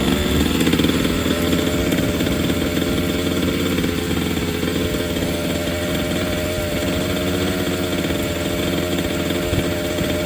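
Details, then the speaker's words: Redcat Chimera 1/5-scale 30cc engine with a Walbro carburetor, started with the choke closed and the low-speed needle 1¼ turns out, after starting issues and flooding: a buzzy two-stroke note settling into a steady, even idle, running cleanly. "all right now this thing should start up okay all right there it [Music] goes oh the chok's Clos okay see how good it's starting there"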